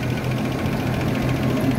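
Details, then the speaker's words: Land Rover Series 3 109 with the 2.6 petrol, freshly carburettor-tuned, listened to from the rear, running two-stroke oil mixed into the fuel. The engine settles back to an even, steady idle after a blip with no stumbling or misses. Normal tuned idle. "and then if you come to the back and you listen to then it gives you an idea of what it should sound like"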